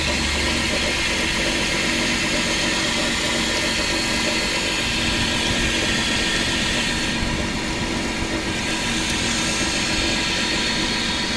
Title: Chrysler 300M 3.5L knocking noise